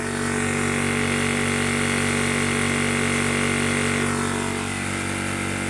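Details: High-pressure PCP air compressor (1300 W/1600 W type) filling an air tank: steady even mechanical hum with a constant fast pulse and no knocks or rattles, running normally.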